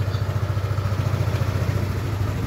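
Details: Yamaha Aerox 155 version 1 scooter just after engine overhaul for noisy engine: steady, even low thump with no knocking at idle; runs normally though idle is set high, timing chain slightly worn.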